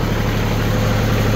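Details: TC25D 25 hp three-cylinder diesel tractor driving a three-point log splitter at about 1,500 rpm; loud, steady low drone with even rapid pulse, no knocks or misses; running smoothly under steady load.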